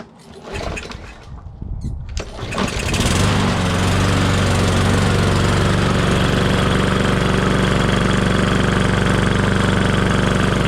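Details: Briggs & Stratton mower engine after replacing breather reed to stop oil leaking into air box: catches after a few pulls and settles into steady, even run about four beats a second; normal running.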